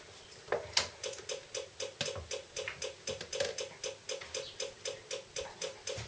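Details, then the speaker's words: Yamaha Virago XV535 external electric points-type diaphragm fuel pump, bench tested after dressing charred points: steady fast ticking about four a second but barely moving fuel; worn, heat-welded points, pump to be replaced. "yeah you can hear that ticking away clearly it's really not doing its thing at all"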